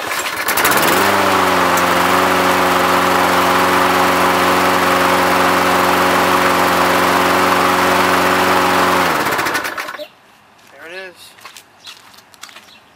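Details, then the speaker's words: Toro lawnmower that previously would barely run, after repair: starts and runs at steady, even speed for about nine seconds, then shuts off cleanly; healthy and ready to mow. "well that certainly sounds a heck of a lot better"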